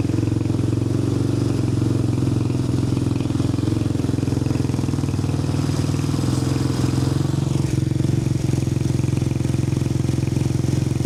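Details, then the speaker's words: Apollo 250cc dirt bike after electrical repair of no-spark and dead starter button: even, steady single-cylinder thump at fast idle with no misses or clatter; starts right up, running normally. "It's running good. Starts right up."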